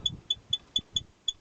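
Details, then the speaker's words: Toyota Probox/Succeed: sharp high chirping squeaks, about four a second, as the handbrake cable is worked back and forth, caused by a worn bushing, a known problem of these cars. "со временем изнашивается от этот втулочка и начинает атакует скрип появляется йод он скрипит вот так вот"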